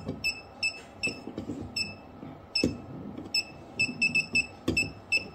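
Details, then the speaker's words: PeakTech P 3432 non-contact fuse finder over a neighbouring breaker: short, high, scattered beeps instead of a steady tone. This is a weak response; the target fuse was number six. "so for this ones it's just beeping slightly but we found our use number six so it seems it it likes to be right there uh on the on the flip switch"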